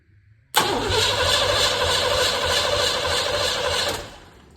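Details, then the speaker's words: 1958 Plymouth engine, not run in over 40 years, started by hand-jumping wires: starter cranks steadily about three seconds without firing; owner unsure if too little fuel was given or spark is missing. "I don't think that's right unless I just didn't give myself enough fuel"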